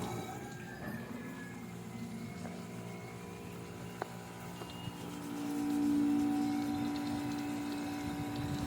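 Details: Noisy air conditioner that still cools, running in fan-only mode, heavy dust buildup inside: steady hum with a rough churning grinding undertone, then a droning tone joins in. Fixed by cleaning the unit.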